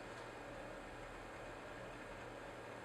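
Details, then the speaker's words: Dual 1.25GHz Power Mac G4 MDD with Verax dampened fan kit, redesigned heatsink and slower power supply fans, booting from CD with the drive still spinning: low, even whoosh and faint steady hum, no rattles; much quieter than the stock G4. "But you can hear already that this G4 sounds much lower. The frequencies are less clashing, and if you hide it under your table, you probably would not even hear it's there."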